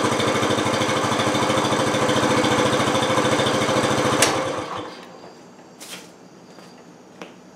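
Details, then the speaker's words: 1968 Honda Trail 90 that sputtered on the road, after freeing a sticking carburetor slide: even, steady firing for about four seconds without stumbling or hang-up, then clean shutdown; normal running. "minor setback but uh yeah that slide was just sticking a little bit no throttle seems fine"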